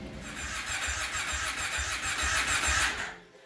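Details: 2005 Kawasaki Brute Force 750 ATV with intermittent no-spark: steady rhythmic starter cranking at about three turns per second that never catches; engine spins freely, CDI box suspected failed, being confirmed with a lab scope.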